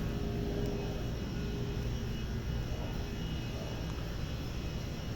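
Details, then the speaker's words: Display refrigerator that would not cool, after replacing the seizing condenser micro fan motor: steady, even low hum with no rubbing, stalling or rattle; fan now running perfectly. "Agora tá funcionando perfeitamente."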